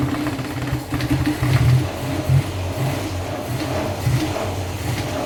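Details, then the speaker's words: 1953 Austin A40 Somerset before tune-up: uneven lumpy rough running with heavy vibration and irregular pops back through the oil-bath carburetor, a sign of ignition and fuel problems. "that popping back through the carburetor is a sign of ignition problems as well as fuel problems [Music] obviously there's a lot of vibration there that's pretty rough"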